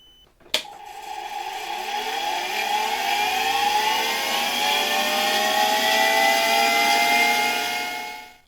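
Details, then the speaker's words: Dirty, neglected 1965 Alfa K2 vacuum cleaner's FAWOD SK-5b motor, run on an autotransformer: smooth whine climbing in pitch then holding even, no bearing rumble or rattle; quiet bearings, little brush sparking, motor runs well. "The bearings aren't making much noise, and there's not much sparking in the brushes. Overall, the motor runs quite well, which only confirms the good quality of these motors"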